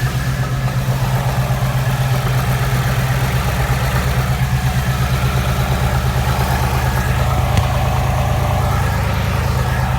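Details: 2017 Ford Mustang, engine with 3,200 miles, idling. A loud low idle with an uneven pulsing knock about three times a second underneath; source not identified.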